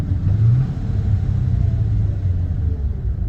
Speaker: And as you notice, it kind of does a throttle tip in for downshift too, so it's kind of like a rev matching downshift it does, which is great.